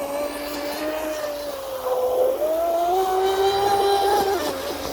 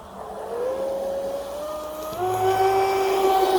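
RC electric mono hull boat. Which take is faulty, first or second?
first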